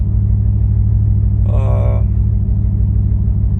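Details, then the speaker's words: Ford Mustang S197 3V V8 after fixing leaking intake manifold gaskets and vacuum lines and replacing the fuel filter, which cured lean codes on banks 1 and 2 and a cylinder 6 misfire: deep, steady, even idle with no stumbles or hunting; the rough idle is gone. "No more rough idle. She runs good. The motor sounds a lot better."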